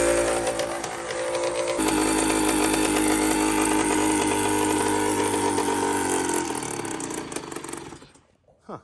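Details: Custom Honda TRX90 with a CR85 two-stroke engine, after rebuild, with a loose carb clamp; buzzy engine holds a high rev, then winds down steadily, revving evenly and running cleanly. Normal running.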